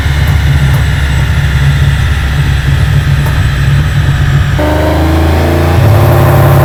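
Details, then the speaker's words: Aston Martin V12-powered Foxbody Mustang on the dyno, engine getting warm: a loud high-rev full-throttle pull breaks into a rough stepped brrr, hitting a brick wall in the tune; a soft limiter or safety is suspected, cause unknown. "All right, so the Mustang is hitting like kind of a brick wall in the tune anytime he's full throttle. If he's trying to like power through it and whatever, you can hear it."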